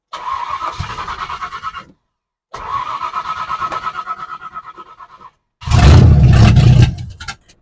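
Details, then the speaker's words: 1970 Ford Falcon with 5.0 small-block Ford roller swap, after a carb clean and rebuild with the choke disconnected: the engine catches, runs roughly for a few seconds, then dies, repeatedly; fuel starvation, the carb isn't holding gas, and the owner suspects a rebuild mistake. "I'm running out of fuel so something's not working"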